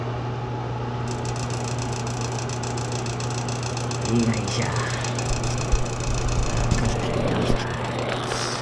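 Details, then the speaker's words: Washroom exhaust fan: steady low fan hum with a fast, dense ticking rattle, noisy when lowered but not when raised; the plug was touching the spinning fan, fixed by moving it away. "inadjust lang natin to Ito lang yung dumidikit guys"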